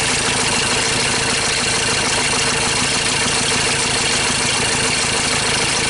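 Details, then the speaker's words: 2013 Ford Ranger T6 diesel idling rough after a routine service, with loss of power and stalling; uneven, stumbling beat under a steady clatter, sounds like a misfire, cause not yet confirmed before scope testing. "so that sounds like a misfire"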